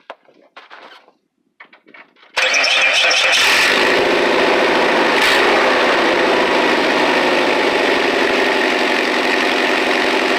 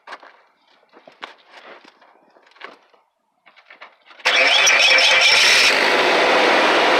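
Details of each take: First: Old car at idle before repair: loud, raspy exhaust with a sharp, hissy edge from a leak in the tailpipe, which was then patched with heat-sealing tape and a clamp. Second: Truck exhaust after tailpipe leak repair with heat-sealing tape and clamp: engine catches and runs steadily with no popping or chuffing; exhaust sounds sealed, not best-sounding but much better than before.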